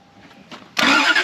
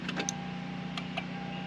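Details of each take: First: 1991 Lexus LS400 that sat about 11 years, after cleaning the negative battery terminal: the starter grabs with a strong, fast, even cranking whirr, run in short intervals to work the oil up. Normal cranking. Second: 1991 Lexus LS400 that sat about 11 years, new battery fitted: a handful of sharp irregular starter clicks with no cranking; poor battery terminal contact suspected, not confirmed, terminals then cleaned.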